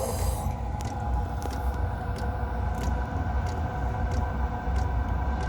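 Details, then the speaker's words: Diesel heater fired up by remote for its periodic run before winter, exhaust vented outside; steady low fan rumble with sharp fuel pump ticks once or twice a second as the furnace ignites; normal heater startup. "Don't know if you can hear, that's the furnace igniting. Yeah."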